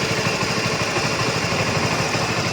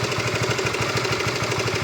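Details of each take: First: Honda RS150 V2 motorcycle at 86,000 km, after a service with Castrol 10W-40 oil and a new cam chain tensioner. Steady, even single-cylinder idle with no droning or humming; a normal, healthy engine. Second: Honda RS150 V2 at about 80,000–86,000 km, cam chain tensioner never replaced: quick, even idle pulsing with low droning hum, sounding different; owner suspects a worn tensioner, to be replaced at the workshop.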